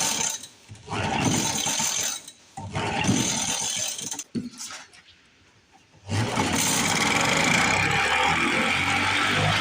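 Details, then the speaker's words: 1950s Lawn-Boy bricktop two-stroke with low compression and freshly cleaned points: raspy running in bursts that drop out and pick back up, keeping going only while choked by hand. The choke keeps coming off and the owner suspects a stuck needle valve. "Our choke keeps coming off. I don't know why that is. I think we're missing something for that. Just choke it by hand."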